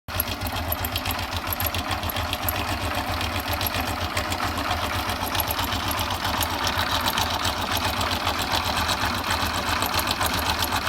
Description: rattling sound of timing chain because rubber in tensioner is worn out....